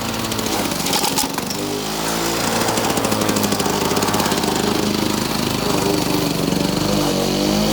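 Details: Victa two-stroke lawn mower rebuilt from two parts mowers, test run after rebuild; brief catch at start, then crisp even buzz holding steady speed; runs cleanly and evenly.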